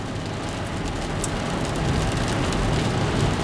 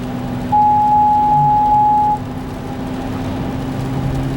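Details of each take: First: Car on a test drive after both front wheel hubs were replaced to cure a front-end noise: even road and tyre rush that builds gently with speed, with no growl or hum from the front wheels; the noise is gone. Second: Car driving, front wheel hub: steady droning hum with a mid-pitched whine that swells for seconds and changes with speed; worn front hub bearing, passenger hub felt grinding with flat spots, both hubs replaced.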